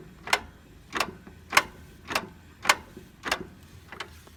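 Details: Mazda 3: sharp evenly spaced clicks just under one per second over quiet background; repetitive clunk, cause not yet identified.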